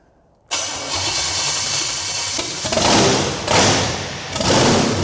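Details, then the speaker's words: $500 Gen VI 454 big-block V8 on engine stand, converted to carburetor with headers, first fire-up with rough timing: cranks and catches at once, revs in strong, even blips, no misses or knocks. Normal running. "It sounds good."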